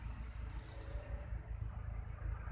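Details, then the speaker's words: Used pickup engine at idle without throttle: soft, low, even thrum with no stumbling, indicating normal, healthy idle. "Ya tapi kalau mesin itu belum ada gas Hai mesinnya langsam ya tidak tersendat-sendat di mesin itu"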